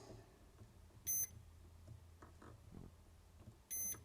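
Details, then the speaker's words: NiteCore New14 Intellicharger repair, multimeter diode mode from AC side to negative of bridge rectifier: two short clean beeps reading a short; shorted diode in bridge rectifier. "we get one diode, but that's a short. Which is fine."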